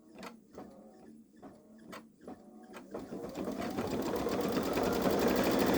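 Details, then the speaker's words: Baby Lock Solaris embroidering a Christmas train design on a sweatshirt with medium-weight cutaway stabilizer: slow needle ticks build into fast stitching with a thin high squeak each stroke; cause unknown, owner considers a different embroidery foot. "I still hearing the squeak tell me if you hear the I don't think it's a figment of my imagination"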